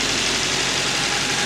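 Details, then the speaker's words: 1986 Toyota Sprinter Trueno AE86 GT-Apex with 131,324 km, aftermarket air filter, exhaust header and plug wires, apparently stored unused for a long time. Even, steady idle with airy intake hiss, which the camera exaggerates, and no knocks or misses. It sounds healthy. "people saying that the engines don't sound right this one sounds good to"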